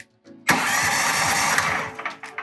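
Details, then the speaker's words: Powerhorse 420cc OHV horizontal small engine, with oil but no gas, fuel and choke off, on a 330 cranking-amp battery: starter dry-run test. A strong, fast, even whirr for about a second and a half, then a clean stop; normal starter cranking. "Boy, thing kicks out hard. That's a 330 cranking out battery. It's a lot of juice, and I can feel it kicking the starter out."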